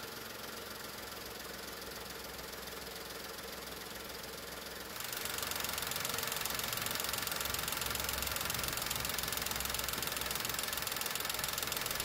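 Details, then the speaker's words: VW 1.2 three-cylinder engine after replacing the three Landi Renzo LPG injectors: the car switches to LPG and a quick, even ticking over a quiet idle shows the new injectors working normally. "El automóvil cambió a GLP, de hecho, escuchamos el tictac de los inyectores en funcionamiento."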